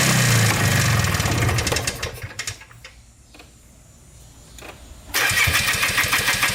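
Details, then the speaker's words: Polaris Trailblazer 250 2x4 two-stroke quad before top-end rebuild: starts and revs, then sags and stumbles unevenly; owner suspects low compression from burnt-out rings, runs inconsistently, won't stay running or restart. "this is a two-stroke quad and as you saw it's not running right i feel like it's long compression i feel like the rings are maybe burnt out on it and um it's just not staying running it's running inconsistently"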